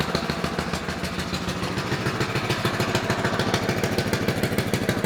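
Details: Honda GX160 5.5 hp four-stroke single on a Danish Bocart off-road go-kart, parked unused 10 years and no-start from stale fuel gumming the carburetor; after carb cleaning, chain removed, choke on, it runs with quick, even popping at steady fast idle, no misses: normal running.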